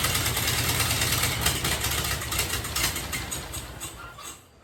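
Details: 1930 Ford Model A pickup four-cylinder, just restarted after a warped head was machined, valve springs refitted and distributor replaced, started with starter fluid: a lumpy, uneven idle that sags, with a leaking Tillotson carburettor still out of adjustment.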